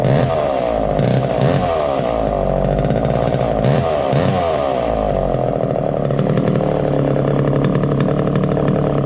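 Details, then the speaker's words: 1969 Homelite EZ Automatic chainsaw first started after 20 years in storage, using starter fluid and with the choke closed: raspy two-stroke buzz revs up, then settles into a steady even drone, no knocks or stumbles; runs cleanly. "well that got off to a good start obviously"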